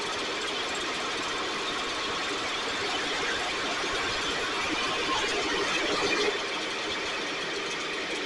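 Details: STIHL backpack blower (believed 6R450), new air filter and spark plug, recoil off. High buzzy idle hunts, swelling and sagging; runs lean, needs occasional choke to stay running; a little water in tank not deemed the cause; carburetor suspected.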